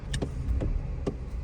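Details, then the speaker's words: 2019–2024 Toyota Corolla, brake held while tapping throttle in Drive then Reverse: sharp hollow clunks over idle as engine jumps back and forth, with vibration and jerking on shifts; broken transmission mount, to be replaced. "hold the brake down put in Drive tap it and then put in Reverse tap it there you go you can hear that clunking"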